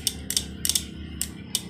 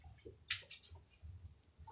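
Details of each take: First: Honda Vario scooter electric starter: only sharp, uneven clicks with no cranking, because the battery is too weak. Battery to be charged and the starter motor and wiring repaired. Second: Honda Vario scooter after battery charging: electric starter spins briefly and the engine catches at once into a steady, even idle; hand starter now works, normal electric start.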